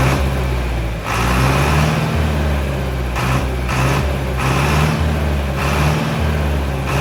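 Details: Mid-1960s John Deere 3020 diesel tractor, about 477 hours, first start after five years of sitting: a steady, even, low diesel chug with no knocks or misses. It is idling normally.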